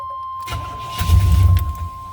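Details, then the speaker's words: 1990 Chevy K1500 5.7L V8 (carbureted), cranks strong but no start and no fuel pump buzz heard; with starter fluid sprayed into the carburetor it catches under a second then dies, back to crank-no-start: fuel delivery fault. "all right and now it's back to crank no start so because it started up for a quick second and turned back off that proves to me that it's fuel related because it started up when I sprayed the uh the starter fluid in there"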